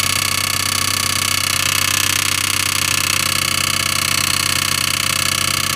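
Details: Audi A6 2.7T, used replacement engine, noise appeared after 50 km, aux belt removed: fast, even metallic ticking about four per second with a harsh edge over the idle. A backed-out, probably untorqued backplate bolt was contacting the flywheel backside.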